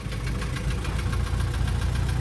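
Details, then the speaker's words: Junk engine from a part-out Integra, installed in the car. At idle a fast, regular light tapping holds steady; the knock goes away when revved and then returns. The engine also has revving issues, which the owner suspects come from a dirty idle air control valve. "Yeah, I don't even know what else to say about that, other than it's just funny that it's knocking, and I just put a knocking motor in here."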